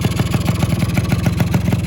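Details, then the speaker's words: Rebuilt Yamaha RX100 two-stroke, finished before painting: idles with a crisp, even ring-ding beat of about twelve pulses a second, no hesitation or misfire. Healthy, steady idle. "ตอนนี้เครื่องเครื่องก็ติดนิ่งเลยนะครับเนี่ยครับ"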